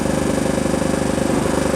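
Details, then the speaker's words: Car speakers give a fast buzzing pulse, roughly fifteen beats a second, over a steady mid tone with nothing playing, volume up, while driving; intermittent, sometimes absent for weeks; cause unknown. "on a second hey ago you guys hear that crap that's my speakers in the car even when nothing's playing"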